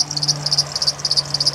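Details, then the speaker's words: 2007 Honda Odyssey at idle: sharp high chirps about eight per second from the serpentine belt area. The owner suspected the idler, tensioner or power steering. One tensioner pulley proved bad, and the tensioner assembly and a bad crank pulley/harmonic balancer were replaced. "okay gang I think you could probably hear that this is my wife 2007 Honda Odyssey and something chirping pretty bad"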